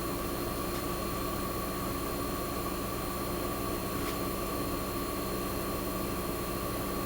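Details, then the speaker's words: 1965 Fedders Weather Wheel air conditioner on a cold start in a cold shop, warming up at about 90 degrees as head pressure builds, now stabilized: steady, quiet hum with faint even tone and soft fan hiss, no knocks or rattles; running normally. "Oh, it's actually stabilized a little bit. So you can hear it's super quiet."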